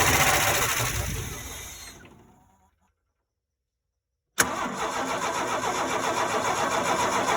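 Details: 4.9 L (300) inline-six: fast, even starter churn about four beats a second without catching; engine cranks but never fires, no start.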